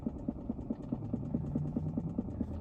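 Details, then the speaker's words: 2022 Chrysler Pacifica Hybrid, about a year old, engine off: soft steady ticking about four to five per second over a low hum, seemingly from the front dash area; stops when the vehicle is switched on, cause unknown. "This is a 2022 Chrysler Pacifica. The engine is off. I just got in the car. It's making this weird noise."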